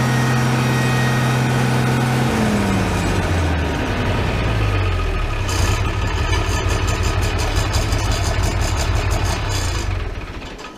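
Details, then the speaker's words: Farmall 806 tractor running before a hydraulic filter change: heavy engine note with a thin steady whine over it; hydraulic pump whine, filter suspected, not confirmed. "Hopefully that whining showed up for you on the camera. I didn't want to run it too long like that. Kind of bothers me."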